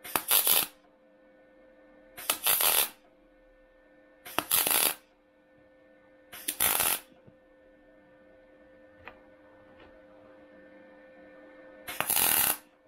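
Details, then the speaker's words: MIG spot welding thin car body sheet at 60 A, 16.5 V, inductance 3: five short bursts of harsh, spattery crackle about two seconds apart, leaving fairly large, high, domed welds. "Donc là, 60 ampères sur le poste, 16,5 volts et 3 en inductance. Tu vois comme ça fait? Ça fait un petit peu bombé."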